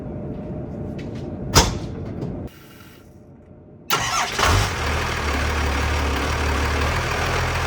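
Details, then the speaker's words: Rebuilt Cummins diesel in a work truck at its first run after the rebuild, turbo still uncovered: steady, even idle with a smooth low thrum and no knocks, much quieter than before the rebuild and quieter still with the hood closed. "go she is so much quieter than what she was before this sounds really good and with the hood closed she sounds even quieter"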